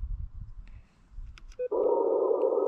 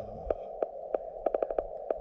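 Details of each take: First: Elecraft K1 on 40 meters, 7.060, 5 watts, SWR 1.1, compared against an LNR MTR4B that pops: steady even tone after keying, no pops, clicks or splatter; clean speaker output, pops possibly specific to the MTR4B. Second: LNR MTR4B QRP radio on 40 meters, 5 watts, counterpoise and choke, paddle mode: steady mid tone broken by sharp irregular pops, several a second at times; cause unknown, possibly rig-dependent.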